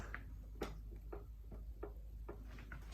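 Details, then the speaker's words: 1992/1993 Yamaha WR500Z enduro rear end worked by hand: sharp dry knocks about every half second; shock moves independently of frame, worn shock and linkage bearings needing replacement. "in here I can see and feel that that the shock's moving around independently of the frame. So that basically means that the bearing is gone, and so it needs replacing."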